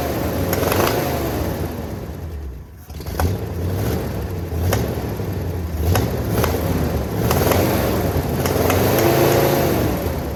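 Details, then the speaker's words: 1979 Jeep J20 truck, sitting a year, uneven low compression (about 70 to 110): engine runs and revs but lumpy and uneven, misses under throttle; rough running from weak cylinders, owner plans to repower. "so that meant the motor ran it just sound really funky and kind of just determined that I'm going to repower this thing one day"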